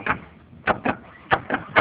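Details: Mazda Xedos 9, before repair. Suspension loaded by hand on the upper part, with attention on the middle control arm bolt. Dull sharp clunks come in loose pairs, about six in two seconds; a knock in the middle arm is suspected, not confirmed.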